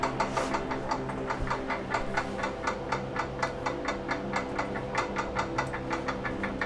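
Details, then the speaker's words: Schwinn 470 (Journey 4.5) elliptical, unserviced 4.5 years, while pedalled: sharp even ticking about four per second, once per flywheel revolution, from inside the flywheel case, like a zip tie hitting; cause suspected, not confirmed. "last night it started to make a clicking sound kind of sounded like if you have a zip tie that's hitting a flywheel or something so every time it's coming around it's going tick tick tick tick tick tick"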